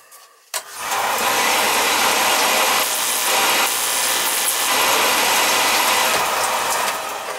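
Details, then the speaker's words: Home oil burner that wouldn't start after the oil tank valve change, electrodes found loose and misset: sudden onset then steady loud hissing ignition buzz held evenly for several seconds; strong, consistent spark. "you want to see this sucker spock this sucker's gonna spot nice i won't even need a screwdriver on this one"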